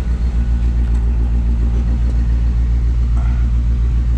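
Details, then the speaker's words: 1957 Chevrolet 210, frame-off restored, 283 V8, about 16,000 miles since build, revved a little: deep even burble, steady lope, no ticks, leaks or rattles; normal exhaust. "Let you hear that exhaust. Again, not obnoxiously loud, just that nice sound of the late 50s, early 60s that you'd expect in a classic car."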